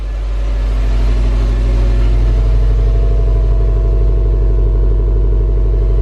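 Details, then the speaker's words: 2015 Subaru STI being rebuilt after a wreck, coolant just added, heard from the rear with likely aftermarket exhaust: steady idle with deep throaty exhaust note, no knocks or misses; normal idle. "I'm not sure how good it's showing up on camera, or the sound quality, how good it is, but man, this thing sounds really good."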